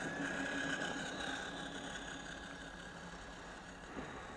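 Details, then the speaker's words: Modded Everest 10 with an open, non-enclosed motor without internal fan: thin steady high-pitched squeal over the hum from a motor bearing screaming after it got wet. "That was a bearing in the motor screaming when it got wet."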